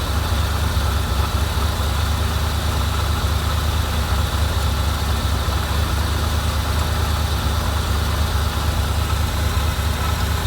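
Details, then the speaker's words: 1987 Corvette after unflooding: low uneven lumpy idle about two pulses a second, loading up with fuel, dies when throttle is released and reflooded; fuel getting into oil, owner suspects seepage past rings, maybe injectors; rough running. "so we did finally get this thing to run and hear what it sounds like but as soon as i let off the throttle it did die and it flooded itself again"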